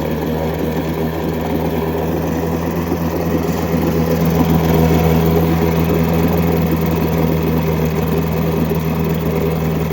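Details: Mercury 7.5 hp long-shaft two-stroke outboard, first start after 25-30 years unused, primed, on water: steady buzzy even beat at idle, running smoothly with no faltering; impeller due for replacement.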